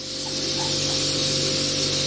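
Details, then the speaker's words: Train air brakes going into full emergency application: a sudden loud, steady hiss of air dumping that holds constant; the brakes are working as intended. "There it is. Do not move this crane after the application. It is truly in emergency."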